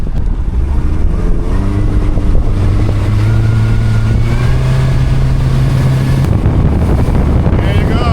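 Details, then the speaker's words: 2002 Yamaha 90 hp outboard, after sitting two years, all four carburetors synced, on a planing run reaching 33-38 knots: strong steady drone climbing slightly with speed over wind and water; running healthy. "I went ahead and synced all four carburetors. It wasn't easy because I don't have the tool, but sounds really good right now. Idle good."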